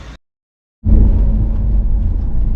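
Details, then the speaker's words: Renault van driving over bumps after suspension repair with two new parts: steady low road rumble, smooth and even, with no knocks or clunks. The earlier worsening clunk is gone. "i'll listen to that folks a clunk free van yeah so we had i don't know a few of them working on that on the van there for a good couple of hours"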